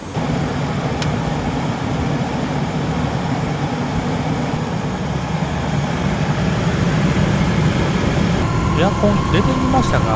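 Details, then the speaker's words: 24-year-old Chevrolet Astro camper van, after replacing fan belt, tensioner and idler pulley to cure a clatter with A/C on: steady even idle with A/C running, no clatter or chirp from the belt side; normal running with A/C on. "これでエアコンつけても多分カチャカチャ音はしないと思います"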